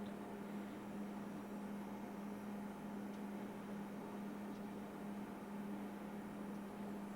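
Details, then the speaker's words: Morimoto HID automotive headlight ballast running after a rework install: only a faint, steady low hum under room noise, with no harsh buzz. This is normal, quieter operation, compared with another ballast that buzzed louder. "See, this one's a better ballast because it's not buzzing as loud as the other one. It's like I can barely hear it now."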